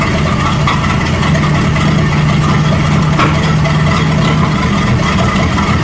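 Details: 1937 Buick Roadmaster with an apparently rebuilt Stromberg carburetor, after the idle screw and idle mixture screw were set: a low, steady idle rumble with even firing and no hunting or stumble. It sounds much better but still needs fine tuning. Normal idle.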